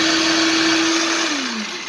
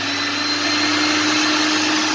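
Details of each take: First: Philips 1600 W meat grinder: steady motor whine sags sharply in pitch as meat goes in, then the auger stops turning under load though the motor runs; gearbox teeth intact, slipping drive coupling replaced. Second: Philips 1600 W meat grinder after replacing the coupling, running freely with a steady, even motor whine and no jamming, knocking or labouring; previously hummed but auger stopped under load.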